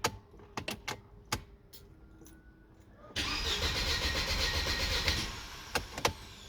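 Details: Mercedes W203 cranks but won't start: a few clicks, then the starter spins the engine steadily for about two seconds without firing. Owner suspects a bad fuel pump or relay, not confirmed.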